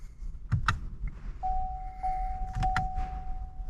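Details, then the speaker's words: 6th-gen Camaro ZL1 1LE after six months in storage, ignition on with engine off: a couple of clicks, then a steady mid-pitched electric hum as the fuel pump primes; oil pressure reads zero before the first start. "now I hear it again I think that's the oil I'm sorry the fuel pump going on"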